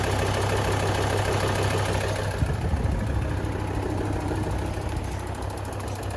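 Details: Volvo D5244T12 diesel, 170,000 km: on cold starts below +5°C a steady light tick of about three per second sits over the idle clatter. It is loudest at the front wheel arches (right slightly louder) and seems to come from behind the engine. Belt and alternator clutch are fine, and the tick disappears when warm.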